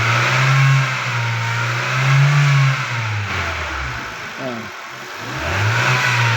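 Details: 2016 Hyundai Elantra: a low hum from the engine bay swells and fades as revs rise and fall. Engine bay humming; the source is not pinned down, and the steering pump is possibly suspected.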